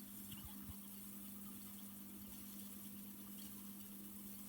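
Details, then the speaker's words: TEAC A-2300SX 1970s reel-to-reel tape recorder rewinding: quiet, steady motor hum with an even tone and no scraping or wavering; the machine rewinds smoothly and sounds healthy. "Alright, let's rewind that. Look at that. What a beauty."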